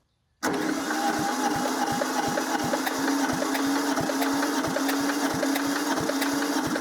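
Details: Diesel compactor engine that sat a couple of years: starter cranks with slow, even compression pulses about three a second but never fires; crank no start, though fuel gravity-feeds from the tank.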